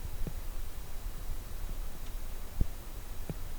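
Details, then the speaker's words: Acer P221W 22-inch LCD monitor in a quiet room, low hum and soft clicks, no whine or buzz after brightness was raised to 100 in User mode; owner suspects the backlight inverter caused the earlier buzzing. "buzzing noise went away, so that is my alternative to fix it."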